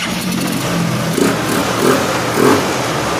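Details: Honda CG Fan 125 after valve work and top-end reassembly, previously very hard to start: single-cylinder thump idling and blipping, picks up cleanly and settles steady; engine sounds healthy.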